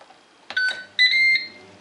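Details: Ninja Speedi cooker with pot inside, after freeing its sticking pot-detection switch with a little oil to cure the "pot not found" error: two short bright beeps on power-up, no error tone. Normal startup beep.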